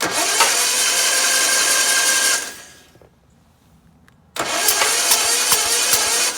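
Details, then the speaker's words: Onan B43M engine on a Gravely 8162-T under rehab, cranked on the starter with the plugs out after cleaner was put in the plug holes: quick, even dry whir with no firing, spins freely; compression later found on both sides. "all right I'm just gonna run it with the plugs out for a minute and just crank it"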